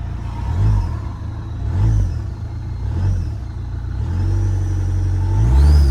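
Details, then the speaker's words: Damaged 2.0 Audi A3 saloon, first start after fitting a new throttle body, many dash warning lights on: engine catches and settles into a steady, even idle with gentle rises in speed, no knocks or misses; sounds fine. "seems to be all right."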